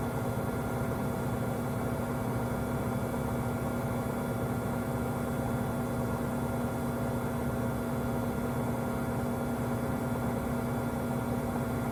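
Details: Samsung WW25B6900AW/A2 front-load washer, 5 months old, during drain: steady loud electrical-sounding buzz at one pitch, about 70 dB, present since the first month, louder once no water is left; cause unknown.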